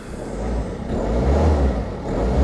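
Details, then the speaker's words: Auction diesel car with a 5-speed manual, at first idle: steady, even low rumble with no knocks or rattles, sounding healthy, though the listing reportedly mentioned an engine malfunction. "actually sounds all right, but I do think from memory that in the pictures, if that's right, I could be wrong, if I'm right, it did say something about engine malfunction on here."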